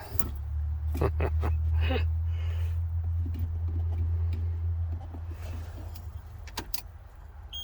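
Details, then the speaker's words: 1999 Ford F800 8.3 diesel, cold start at 17 degrees after sitting a month unstarted; slow steady cranking around three turns a second, low and even, never fires; cold crank no start, cause unknown. "no she's not gonna start oh well she didn't start"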